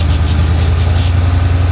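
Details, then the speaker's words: Engine idling after fixing a very bad header leak (all header bolts loose, gasket said bad), cold weather with water or snow on exhaust: smooth steady low idle rumble, even throughout, no ticks or knocks; normal idle. "engine runs smooth, perfect, no ticks, no knocks, nothing."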